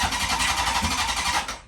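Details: Honda CB750 after Dyna S ignition install and static timing, choke open, no fuel supply hooked up; quick ragged burst of firing for about 1.5 seconds then dies: ignition sparks, engine fires briefly, needs fuel.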